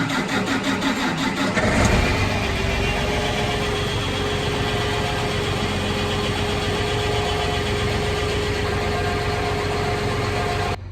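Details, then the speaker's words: John Deere 8310RT tractor diesel, after fuel filter change and priming, before oil change: starter cranks briefly, catches within two seconds and settles to an even idle with no misses; normal start and idle. "let this run a second get that engine oil warmed up and then we will change the oil on this thing"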